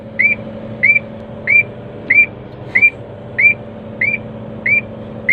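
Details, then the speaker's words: Crane computer setup while lowering the hook block and raising the boom: short high chirps repeat about every two-thirds of a second over a low engine hum as the anti-two-block (ATB) alarm stays active. "oh ya teman-teman, ini kan ATP-nya masih bunyi terus ya kan."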